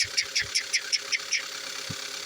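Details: 2015 Kia Soul petrol engine running and revving: sharp bright ticking about five times a second that speeds up with revs; diagnosed as piston slap scoring the cylinder walls, though the dealership had called it normal.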